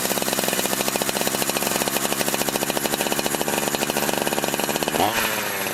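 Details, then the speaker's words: Holzfforma G372 chainsaw, warmed up a few minutes after crank seal replacement to cure failure to hold a tune: fast, steady two-stroke buzz at even pitch, brief throttle blip near the end; runs consistently, tune little changed. "all right so I've let it warm up for a few minutes and it seems to be running pretty consistently"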